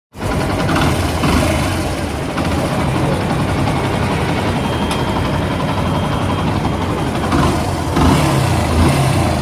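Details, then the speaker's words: Yamaha FZ Fazer V2 motorcycle engine running: loud harsh metallic clatter over the idle from the flywheel area; starter one-way clutch behind the magnet/flywheel has broken up, a common fault on these bikes. "আপনারা শুনতে পেলেন যে ইঞ্জিনের কী অবস্থা, ইঞ্জিনের সাউন্ডের এমন একটা বাজে অবস্থা যে ইঞ্জিনের ভিতরে সব ভেঙে চলে যাইতেছে। ঠিক আছে, এই ইয়ামাহা এফজেড ফেজার এই বাইকগুলোর একটা কমন সমস্যা আছে, যেটা হলো যে এটার যে ম্যাগনেট বা ফ্লাই হুইল আছে, এটার পিছনে যে আমাদের সেলফের ওয়ান ওয়ে প্লাস আছে,"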